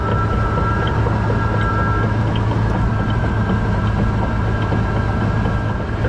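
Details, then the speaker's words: Old truck, rear jacked up after something popped in the rear end while driving: steady low drone with a faint tone on top and a wobbly driveshaft; owner suspects the rear end, not confirmed. "Where's that noise coming from? Drive shaft's looking a little wobbly."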